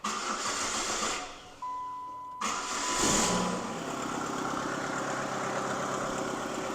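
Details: 2003 Saturn Vue GM 2.2 Ecotec after timing chain and water pump replacement, cold snowy weather: catches after a short crank, flares briefly, then smooth steady idle with no knocks or rattles; check engine light on afterward.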